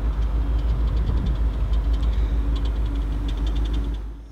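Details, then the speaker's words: 1986 Rolls-Royce Silver Spur V8 idling just after start-up, exhaust described as pretty quiet: deep, soft, even rumble with nothing tapping or rattling, then fading away; normal V8 idle. "let's hear the exhaust it's pretty quiet"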